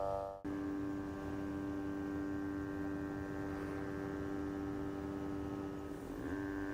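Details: GVM GT-J80D video slider drive motor, recorded by a Canon camera's onboard mic without lavalier at about 25% speed: steady thin single-pitch whine over low hum; unclear if normal. Finding: motor whine.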